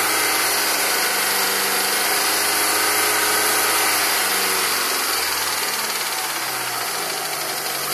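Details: Mitsubishi Evo with reconditioned Evo 7 engine, 50,000 km, 5W30 oil: light regular tick about three to four a second at idle, seemingly near cylinder 4, whose spark plug had a melted tip; ticking for about 2,000 km, cause unknown.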